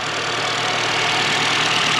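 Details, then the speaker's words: 2007-2008 Honda Fit 1.5L idling after spark plug replacement and coils reinstalled: steady, even idle with a smooth hiss, no stumbles, knocks or misfires. "At this point, it's purring like a little kitten that you're rubbing its little butt. Listen to that. No misfires."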